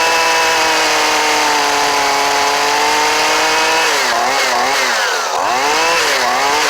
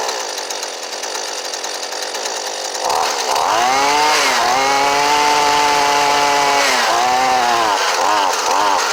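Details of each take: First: Old Husqvarna 128LD trimmer with a new Hipa carburetor, choke off: it holds a clean, steady high buzz and picks up and drops back crisply on throttle blips; it is running properly. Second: Husqvarna 128LD trimmer on a newly fitted Hipa replacement carburetor: it screams at a high steady pitch that wavers and dips between throttle blips; the high-speed mixture needs a small adjustment.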